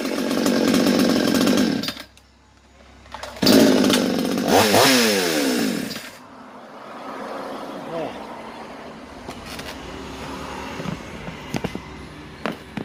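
Chainsaw picks up crisply when revved, the note climbing cleanly and settling back without stumbling; carburettor mixture sounds right.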